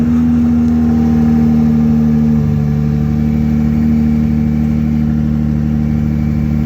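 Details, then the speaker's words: Jeep Gladiator with a manual transmission that was already hard to shift into first, cold-start idle in neutral: a steady squeal over the engine that shifts slightly partway through. Owner suspects a manufacturing defect; cause unknown. "Okay, so you guys heard the squeal, but it done that on a cold start. So, I mean, I just don't think it's right. I've never had a vehicle do that before."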